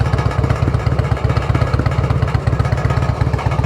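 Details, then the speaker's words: Harley-Davidson Road King at idle on a post-repair test: loose metallic rattle pulsing with each lumpy V-twin firing, about four per second, from inside the exhaust; loose baffle suspected, exhaust discolouration suggests running hot. "So, educated guess? That's a loose baffle. So, we're going to have to let her cool off and check that thing later. You can definitely hear it rattling in there."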